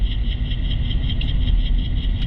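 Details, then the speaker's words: 2016 Nissan Rogue at about 30 mph, microphone on channel 2 among four wheel-corner channels: deep, constant rumbling growl, worn wheel bearing; other channels only slight brake noise. "we're getting some noise on channel two let's go to number three we're just getting a little bit of brake noise number four just a little bit of brake noise seemed like the noise is coming from Channel 2."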